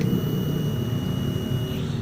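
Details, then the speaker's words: Honda Beat ESP scooter after repair, ignition switched on: thin steady high fuel pump whine under low rumble cuts off cleanly after about three seconds, where before repair it ran continuously; normal fuel pump priming. "langsung sekitar tiga detik diamati ulangi lagi kita kontak lagi"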